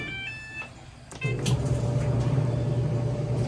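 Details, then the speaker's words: Maytag Bravos dryer MEDX500XW0 after the idler pulley was replaced to cure a loud squeal: start beeps, then the drum settles to a steady, even low hum with no squeal. The fix is confirmed quiet. "Quiet. Wow."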